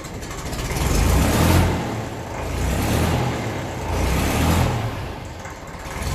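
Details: 1954 Ferguson TE20 (TEF) diesel tractor, cold start after glow plug heating on a battery of uncertain health: idle revs swell and drop every second or so, otherwise even and clean, normal hunting until warm; normal cold-start idle.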